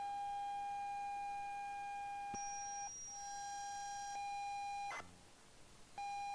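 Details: Unknown ZX Spectrum tape, 128K version of Nemesis: The Final Challenge, played on tape deck; steady high pilot tone with short breaks and a brief dropout before resuming; ordinary tape loading signal.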